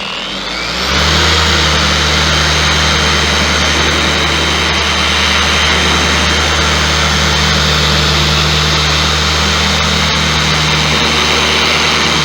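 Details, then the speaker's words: Bauer 56367 DA polisher after fitting a Rupes 5-inch backing plate and Lucas lithium grease in the head: an even, steady whir under pressure at a higher speed setting, with no wobble or shudder. Runs smoothly, roughly 80–90% as smooth as a Rupes. "wow now is it as smooth as the rupes no but it's probably 80 or 90 percent there it's a significant improvement over how it was"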